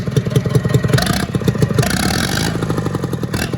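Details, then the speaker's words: International B414 diesel tractor, previously locked up, head reinstalled, running at wide-open throttle: rough idle with uneven chuffing pops out of the intake because the valves need readjusting; slight exhaust smoke, probably burning oil; block getting warm. "and popping out of the intake still because I need to readjust the valves like I've already told you."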